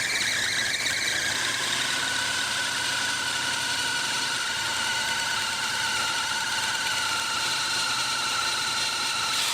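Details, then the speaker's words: 1986 Dodge Ramcharger carbureted engine at idle after vacuum lines plugged and brake booster reconnected; loud steady high-pitched screech from loose drive belt slipping, fixed by tightening the belt. "yep all the dogs in the neighborhood are barking oh you're loose that's why i would i would scream like that too if i was loose all right i tightened the belt"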